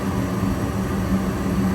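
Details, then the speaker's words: Goodman gas furnace after repair: igniter on, gas valve opens and burner lights with a steady even low roar and constant hum, no pops, rumble or flutter; normal burner operation before flame sensor proves flame. "We're getting the igniter on. Just a couple seconds. Gas has to turn on. Give it a couple seconds."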